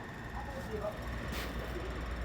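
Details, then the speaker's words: Kool Flo floor fan with low usage: motor runs with a steady low hum and thin whine, sounding rough; owner guesses it may be burning out, cause unclear. "and now that motor is making an awful noise i don't know what that noise is about probably about the rate it burned out or something"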